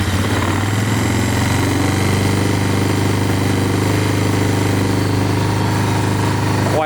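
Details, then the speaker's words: Suzuki Ozark 250 quad that was stored under a deck for seven years, idling after reassembly. A steady, slightly uneven single-cylinder thump, smoking a lot, and only stays running with the choke on. Runs only on choke. "smoking a lot that's with a choke on so oh one wants to run on show"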